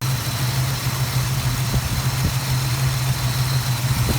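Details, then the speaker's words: Plymouth Duster carbureted V8 (Holley) idling after carburetor repair, not yet up to temperature for final mixture setting, plugs still fouled from rich running; steady even low rumble with no misses or stumbles. "we need to get it up to temperature before i can make the final adjustment from the carburetor but it's running good"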